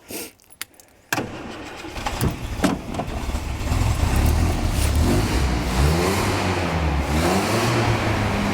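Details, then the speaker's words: 1967 Land Rover Series 2A awaiting restoration, ignition power had been interrupted; owner says it starts well: brief crank, then catches at once and settles into a steady, even idle with no misses or knocks; normal start. "starts like a good unbelievable listen to that"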